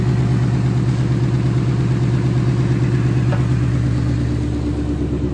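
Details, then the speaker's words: 2018 Mustang GT with a brand-new Ford Performance engine and a new clutch at 3,940 miles, JLT intake and X-pipe, no check-engine lights: a smooth, even V8 idle, low rumble, no ticks or stumbles; healthy. "gas light is on it's a J fuel economy go gauges no check engine lights good to go sounds nice and smooth"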